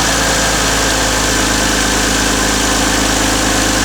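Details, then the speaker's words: Toyota Aristo V300 2JZ-GTE after new spark plugs fitted to cure misfire: even, steady six-cylinder idle, smooth beat, no stumbles or missed pulses. Normal idle. "All right, everything seems to be working correctly."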